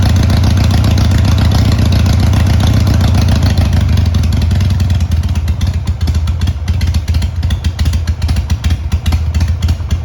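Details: Harley Sportster 883 started on choke after jetting the carburetor on the bike (before, it would not fire without choke): a loud, lumpy, uneven V-twin idle about three to four pulses a second; it runs.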